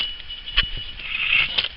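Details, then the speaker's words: Front wheel bearing on a Saturn Vue, hub removed from the car and spun by hand: gritty, hissing rustle with a couple of knocks, not smooth; worn bearing with little life left, being replaced. "It does not sound very smooth. It does not feel very smooth. This bearing still has a little bit of life left in it,"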